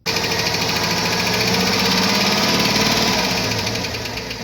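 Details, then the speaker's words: Cadillac Escalade 6.0 after engine rebuild, hot idle: hard, rapid hammer-like tapping about four per second; owner suspects hydraulic lifters, possibly valves; metal shavings found in oil, Suprotec additive being tried. "В общем барабанят Жёстко не знаю то ли гидрики то ли клапана очень жёсткий стук её после капиталки слил масло Ну ставлю ставку на гидрик не знаю но шарашит как будто бы молотком"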